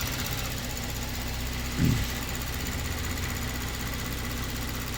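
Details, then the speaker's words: 2022 Kia Stinger, 32,000 on the clock, low power/limp mode: at idle, fine fast ticking shows the high-pressure pump working normally with rail pressure restored. It was in full shut-off mode before. "now we've actually got some ra rail pressure and obviously we can hear that pump doing something now so that was in full shut off mode before"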